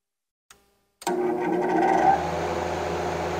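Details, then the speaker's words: Reznor unit heater, fan tested from thermostat before switching to heat: a click, then the fan spins up to a smooth even whoosh with a low steady hum; fan working normally. "and yes our fan is working now let's turn the fan off and let's turn the unit over to heat"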